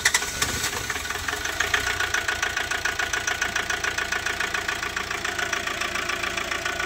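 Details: Hyundai Porter 2 D4CB Euro 4 diesel after injector washer replacement and cleaning of turbo, EGR, intake, catalytic converter and oil strainer to cure blow-by and low power: steady even clatter, three to four beats a second, no stumbling; normal idle.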